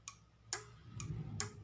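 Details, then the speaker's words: Motorcycle turn-signal flasher relay tested plugged in with a bulb: crisp, evenly spaced clicks about two per second over a quiet background; relay cycling normally, still usable. "Das bedeutet also, dass dieser Blinker funktioniert, okay? Er eignet sich immer noch als Blinkerblinker, der ursprüngliche kann immer noch verwendet werden."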